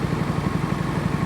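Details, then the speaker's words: 20-year-old Honda HRB215 mower after a carburetor swap fixed it running as if on choke with the air filter fitted: soft, even, slow idle with no hunting or surging; owner suspects the old carburetor's main jet had been altered. "So I just got it idling on slow, so that's why it's not making so much noise. So you can actually hear me. So what happened was I just changed the carburetor and things started working."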